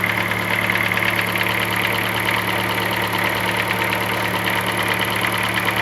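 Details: 2007 Chevrolet Celta, Flex Power engine, at idle: light, fairly quick tapping about three beats per second over steady hum; cause unclear.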